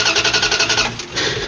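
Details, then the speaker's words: 94-01 Dodge Ram 1500 5.2/5.9 Magnum that died while driving: steady even starter cranking about ten beats a second, never catches; no spark, crank-no-start traced to a cracked coil wire. "Just a steady crank over like she's either getting no fuel or no spark."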